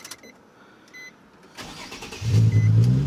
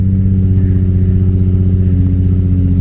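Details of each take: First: 2008 Nissan 350Z after fixing mismatched ignition parts and installing O2 sensor: starter whirs briefly, engine catches, settles into smooth, even idle with no misses; check engine codes did not return; normal start and idle. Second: 2008 Nissan 350Z after reassembly: loud, deep idle with an uneven pulsing lope about four beats a second, not settling; owner suspects it's from having run badly for a while, O2 sensor also found rattling loose.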